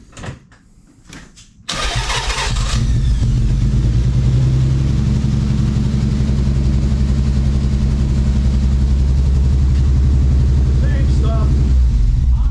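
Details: Nissan 300ZX (Z32) VG30 engine, spark and compression confirmed present: starts after a short crank into a loud, uneven lumpy idle, unchanged after hose swap; injectors next suspected. Engine misfire, cause not confirmed.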